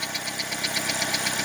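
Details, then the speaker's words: 2002 Saturn 1.9L at idle: light, sharp top-end ticking about seven to eight times a second. Owner suspects a rocker arm, valve spring or worn loose camshaft, not a rod; cause unconfirmed. "Tiene ese ruido en el motor, como un golpeteo. Suena como algún balancín, algo que es acá arriba de la cabeza, un balancín o un resorte, o tal vez el árbol de leva ya se gastó y está flojo."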